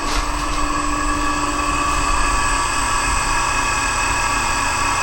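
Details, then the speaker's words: Monarch Merit lathe motor on its new AC drive (VFD), first run from internal controls, slowed to 20 Hz, carrier frequency about 8 kHz. Steady, even motor hum with a faint high carrier whine, no knocks or roughness; runs smoothly at low speed without much noise. "it runs all the way down to 20. without too much noise"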